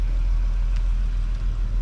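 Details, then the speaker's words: VR6 engine idling with no exhaust fitted, surprisingly quiet: low even rumble, no misses, surges or knocks; normal idle, judged to need nothing. "it's funny how quiet this engine is with no exhaust on it but then how like The Wookie comes out of it we put an exhaust on it"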